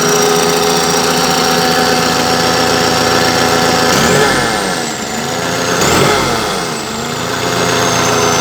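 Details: Perkins diesel engine after repair: steady, even idle with two short throttle blips that rise and settle cleanly; engine sounds healthy.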